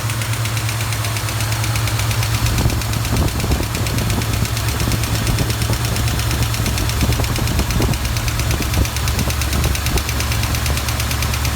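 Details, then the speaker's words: 1973 Plymouth Duster 360 V8, engine built about 25 years ago, started cold with valve cover off: sharp repeating clack over the low idle rumble from one hydraulic lifter sticking, its pushrod not rotating; noise fades at full operating temperature. "that was not moving think that's where our problem is definitely sound like the flash coming from in here"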